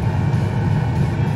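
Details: Two-stage gas furnace at high fire, manifold pressure 3.72 within the 3.3–3.8 range: steady, even low burner roar with no flutter, pulsing or rumble; normal high-fire operation.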